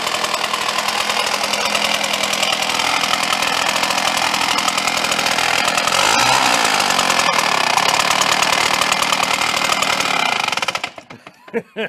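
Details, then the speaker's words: Red Max EBZ7500 commercial backpack leaf blower, which had grown louder over 1.5–2 years: harsh, high-revving two-stroke roar with a rough, rattly edge before it cuts out; teardown found the cooling fan loose. "well what were we talking about look that Fan's loose"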